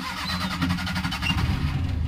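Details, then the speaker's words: Maruti Suzuki Omni van that would not start when hot, after the new battery and charging work: engine catches quickly and settles into an even, steady low idle with no stumbling; starts normally, charging then reads near 14 V. "কিন্তু ইনশাল্লাহ start"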